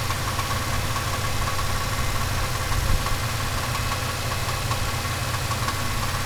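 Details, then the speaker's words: Turbocharged 5.3 V8 Chevelle engine at steady idle with a light, quick metallic rattle ticking over the rumble. The rattle was faint at first and has grown louder with continued driving; its cause is unknown. "when it first started it was pretty faint and as time go I just kept driving it I didn't care um it's getting louder and louder"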